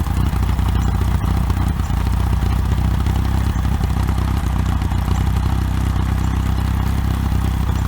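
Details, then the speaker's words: OMC 2.5 L 140 hp sterndrive in a 1981 Sea Sprite, started on water muffs after sitting since winterizing, temperature rising: a low, steady burble with an even beat and no knocks or ticks. Quiet, smooth, normal idle. "Pretty quiet, pretty smooth running little motor. We're going to see if the temperature coming up."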